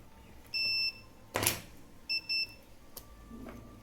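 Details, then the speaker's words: Transistor test on an NPN transistor in a 12 V 2 A SMPS adapter under repair: short bursts of a steady high meter beep show a dead short across it. "And I see a short on it. I will also remove it."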